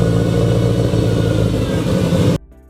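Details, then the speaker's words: Freshly built Subaru engine on first start, 92–96 psi oil pressure: heavy, uneven low rumble with lumpy pulses that never settle, then shuts off; runs rough, untuned. "Now we just need to tune really bad. So that's good to know. It's mainly what we were starting this for today, so it needs a tune."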